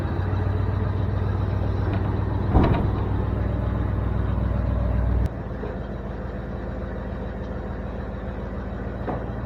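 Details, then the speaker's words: 1973 Ford F350 dump truck, half tank of gas of unknown age, temperature coming up, PTO engaged: steady, even low drone settling slightly quieter, no knocks or misses. Normal running with PTO engaged. "this thing runs really good um coms just went by um yeah this thing ran really good it seems like it runs good anyway"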